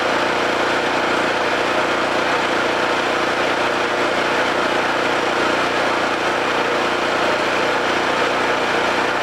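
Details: Homelite 5000 W generator after new carburetor, brush assembly and AVR and field re-excitation: constant steady drone, no hunting or surging over ten seconds; holding speed evenly and producing power.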